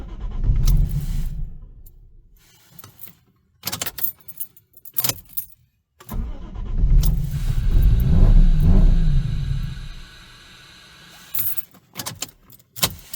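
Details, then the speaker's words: Lexus IS200 drift-build daily driver that suddenly would not start: two long bursts of starter cranking that never catch or fire. The owner suspects the fuel pump is not pumping enough fuel; a new pump, located under the seat, has been bought. "After me and Ivan inspected the car and see what's happening, I believe the car is not pumping up enough fuel, judging from that video you guys just saw."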